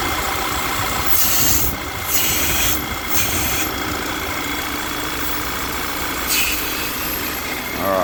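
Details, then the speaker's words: Audi Q3 2.0 TFSI (CCZC) running lean at idle with check-engine light and P2279/P2187 codes: a steady airy hiss over a smooth idle as vacuum sucks at the dipstick tube, oil cap stuck on; failed PCV diaphragm causing excess crankcase vacuum. "this is the pcv um unit on these um volkswagen models and basically that's sucking so hard beds are that you can't pull the cap off it's absolutely stuck on there it's pulling so hard you can hear the vacuum coming out of the dipstick"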